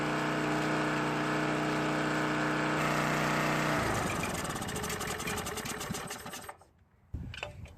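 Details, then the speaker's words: Coleman PowerMate 1500 W generator after long storage, just restarted after carburetor cleaning with fresh fuel, choke on: small engine holds a steady, even drone; runs fine, though the off switch doesn't work. "it looks like it works just fine."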